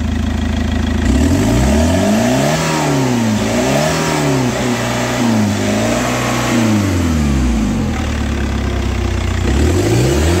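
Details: Chevrolet Captiva diesel that lit the engine/service lights and capped at 2000 rpm with a fuel pressure code, after cleaning: engine revs cleanly to about 4,500 rpm and back, smooth with no stumble; sounds healthy.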